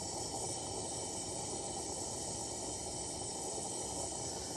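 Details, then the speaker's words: Repaired 1952 Coleman 252 pressure lantern on a size 21 mantle, probably too small: loud, steady roaring hiss with no letup. Unusually long fireball at the mantle. "Never had one fireball this long. That fuel is really hissing through there, though."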